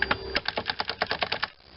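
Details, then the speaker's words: Handheld blower, recoil removed: slow pull gives steady ticking about eight clicks a second, then stops dead after 1.5 seconds as engine binds and locks; engine itself seizing, owner suspects connecting rod or something inside the cooling fan. "it locks up again so this is kind of a mystery to me i haven't looked into it further than just taking the uh recoil off and realizing i hadn't done anything wrong there but it's actually the engine itself that is seizing"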